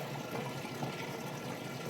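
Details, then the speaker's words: Used Whirlpool HE washer draining the wash water: even gushing water over a smooth pump whir, no grinding or rattle; the drain pump empties the tub quickly and healthily. "All right, now as you can hear, draining that water out nice and fast."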